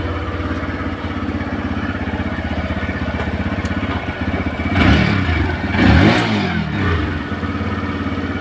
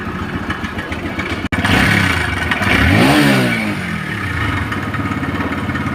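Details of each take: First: TVS Raider motorcycle after timing chain replacement and adjustment, noise previously from chain setting: steady even idle thump with a couple of clean throttle blips, no chain rattle or ticking; normal idle. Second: TVS Rider motorcycle: fast, uneven metallic clatter over the engine, swelling with revs; worn timing chain rattling, mostly due to bad chain adjustment setting.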